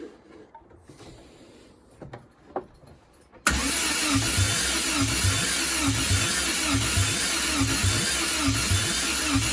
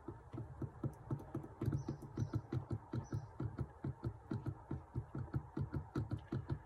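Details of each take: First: Triumph TR7 under restoration, pre-first-start tests: even starter cranking about four compression beats a second for eight seconds, never firing; spark confirmed on all four plugs, engine spins freely, no fuel yet. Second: Triumph TR7 under restoration, pre-first-start test: steady cranking about four beats a second with no firing; the mechanical fuel pump delivers no fuel; opened it and found a mess inside.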